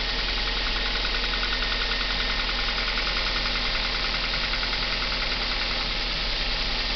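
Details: Kia Ceed, cold engine start: fast, fairly even ticking knock over a busy cold idle, about three per second, which then goes away; cold-start engine knock, cause unknown.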